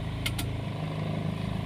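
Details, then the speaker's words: Old Daihatsu Xenia/Toyota Avanza with code 71, idle speed control connector found unlocked and relocked: engine runs with steady hum and quick pulse, rpm still high and unchanged with AC; the ECU still remembers the fault and the EFI fuse must be pulled to reset it. "lihat Lampunya masih nyala belum disarter ya masih nyala teman-teman rpm-nya masih belum normal kita coba hidupin"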